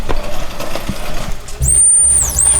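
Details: Honda Civic converted to RWD, fuel pump checked after being installed in the tank before first start: a low steady hum kicks in abruptly with a faint high whine, running evenly; normal fuel pump operation.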